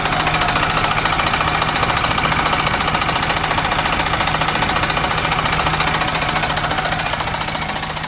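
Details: MCI coach with Detroit Diesel S60 DDEC6 (425 hp at 2100 rpm): harsh, choppy running with a hard, uneven pulse on only 3 of 6 cylinders, caused by a faulty external engine wiring harness; fixed by wiring repair.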